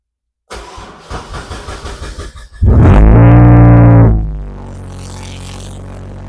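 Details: Engine restarted after investigating low oil pressure, flushed with cheap oil and engine conditioner: a few uneven cranking turns, then it fires, revs strongly and drops to a smooth steady idle, no knocking; oil pressure about 62 psi.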